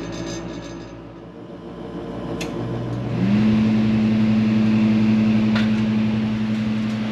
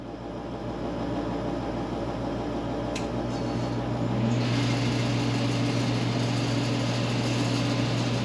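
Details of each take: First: Forced-air garage heater after replacing the heat fan: combustion exhaust blower hums, then heat fan spins up to a steady, even, much quieter tone, likely from the new blade pitch; normal operation. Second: Forced-air garage heater, noisy since it was installed; the fan spins up with a rough buzzing, vibrating rattle over its hum.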